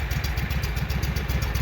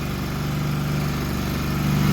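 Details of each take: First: Walker mower that had been backfiring through the carburetor, restarted after freeing a stuck part and spraying PB Blaster; at lower idle it doesn't sound too bad: low, steady, even firing with no popping or stumbling, normal idle. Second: Walker mower brought in for backfiring through the carburetor, started with a little choke: settles into a fast, steady idle well above normal with no dip or hunt; rusted, stuck throttle linkage held it open.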